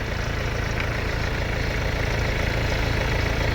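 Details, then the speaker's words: Mercedes-Benz CLS W218 after repair of engine knock, after a long test drive at operating temperature; steady, smooth idle with no knocking, engine normal. "โอเคครับผมตอนนี้ก็วิ่งรองทางไกลมาเรียบร้อยนะเครื่องก็ไม่เขกแล้วนะก็ไปวิ่งลองดูความรงความร้อนโอเคแล้วก็ไม่ไม่มีปาหาอะไรครับเครื่องก็นิ่งดีนะ"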